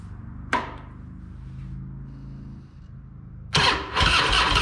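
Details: Harley-Davidson Fat Boy that sat for years, after a new diaphragm fuel valve: quiet cranking, then the V-twin catches abruptly and settles into a loud, lumpy but steady run; normal start.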